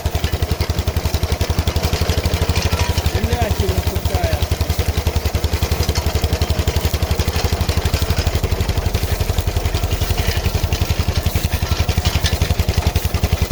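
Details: KM2 PTO-driven potato digger tested after repair on an MTZ-05 walk-behind tractor: the single-cylinder engine chugs steadily at about 220 beats a minute, even rhythm, no knocks; the digger drive sounds healthy.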